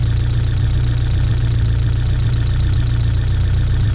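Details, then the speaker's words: 1979 Fiat Spider 124, about 3,000 miles, vacuum advance disconnected: low, slightly lumpy idle with slow dull beat; ignition timing retarded to about 2.5 degrees, versus 12.5 with vacuum on, before resetting timing. "And when we pull the vacuum off and shoot it, the timing's walked itself back. So it's almost at 0. I'm going to say it's like 2.5."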